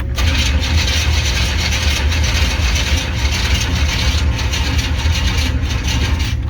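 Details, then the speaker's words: 1995 Chevy C1500 Silverado with swapped-in TBI 350 (original 305), grinding starter: steady, even cranking that never catches, faint starter scrape; no spark found. "let's try it again kind of sounds like it ain't fire or something"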